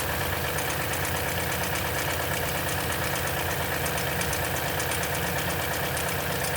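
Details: 2010 Toyota Tundra V8, 165k miles, 5,500-mile oil changes throughout life, cold start idle: fast light metallic chatter over steady engine note, suspected timing chain rattle, not confirmed.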